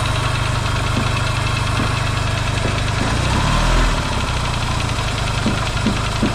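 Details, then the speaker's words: Yamaha XS650 twin, engine just reinstalled in frame after work to cure oil burning, first start: steady low burble at idle with faint occasional ticks, quiet, no pinging or banging; smoking, owner hopes break-in. Normal idle. "first start too and it's idling right off the B that's pretty cool nice and quiet not a lot of pings and bangs"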